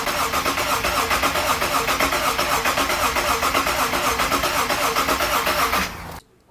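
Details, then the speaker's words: Subaru Liberty wagon with the freshly resealed EZ30 H6, fuel pump disconnected to prime oil pressure before first start: steady, even cranking near four compressions a second with no firing, as expected. "I've got the fuel pump disconnected for now, so I can prime the motor, get some oil in it."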